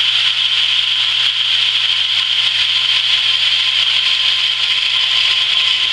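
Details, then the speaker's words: Camp water pump after winter sitting, just primed with hose fully filled; motor kicks in, steady even whir with no knocks or surging while pressure builds from about 15 toward 50, cut-out expected 40–50; normal running. "So I'm going to plug it in. We should hear the motor kick in, and it should kick out between 40 and 50 somewhere."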